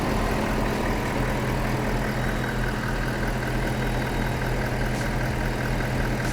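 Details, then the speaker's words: 2021 Ford F-150 PowerBoost idling while its onboard inverter powers an air compressor from the 20-amp back-seat outlet, viewed under the hood. Steady, even idle with a constant low hum and no knocks or misses. It handles the load normally. "moment of truth here we go can it can it be done it's doing it it's alive take a look here under the hood see if anything funky is going on"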